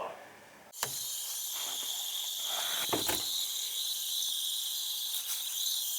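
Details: Central AC evaporator coil: steady high-pitched hiss after a handling thump, with no motor running. Refrigerant is leaking at the distributor tube, which sits in water.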